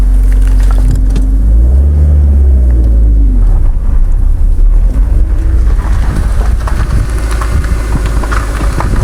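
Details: 2000 Mazda Protege, FWD manual, while driving: low uneven clunks under the engine drone; not affected by turning, believed absent in reverse, lighter ticking or stopping with clutch disengaged; clutch or transmission suspected.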